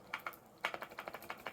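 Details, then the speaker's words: Brand-new Canon R6 Mark II, switched off and shaken: light, dry clicking rattle in quick bursts from the in-body image stabilization unit moving freely; normal, stops once the camera is turned on. "Not used to hearing that funny rattle when you've got a new camera, thinking there's some broken. Well, it's not. It's just the inbody image stabilization uh system or IBIS, which once the camera is turned on, stops doing it."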